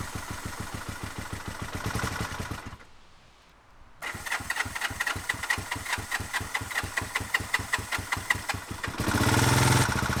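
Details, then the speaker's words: 1971 Honda CB450 K4 motorcycle after battery charging: steady starter-driven chugging, a pause, then more cranking; hard starting, cause not confirmed. "Nghe có vẻ không mấy hứa hẹn. Nó khởi động, nhưng lại từ từ chết máy."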